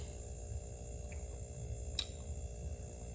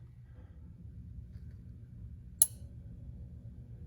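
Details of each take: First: RCA 5.1 cu ft chest freezer, compressor that wouldn't stay running after defrosting and being moved, clicking, now running after the broken starter relay was replaced: steady low hum with faint even buzz, no clicking off; normal running. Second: RCA 5.1 cu ft chest freezer compressor won't stay running after defrosting and moving it: click, faint strained hum about five seconds, click off, retrying about 1 min 44 s later; faulty compressor start relay, fixed by replacing it.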